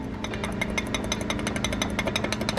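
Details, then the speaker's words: Z exhaust shaken by hand: fast metallic clatter, about seven or eight raps a second, from rivets coming loose where the pipe connects; owner plans to TIG-weld the joint rather than re-rivet. "don't know if you can hear that but that is the rivets coming loose and i could just re-rivet it"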